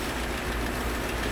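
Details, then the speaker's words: 1938 Chrysler Imperial idling as the exhaust warms up after front-end repairs; low, smooth, soft even exhaust burble with no knocks or misses, a healthy idle. "just as happy as can be is that crazy"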